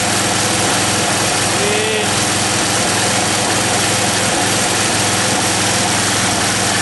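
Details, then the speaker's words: John Deere 111 hydro fed from a gravity fuel tank set above it, with choke; runs on at a steady idle after a backfire, showing the fuel pump couldn't lift gas to the carburetor: fuel pump failure. "Wow, go figure. I hooked that tank up and it's finally enough pump action to get the gas up to the fucking carburetor."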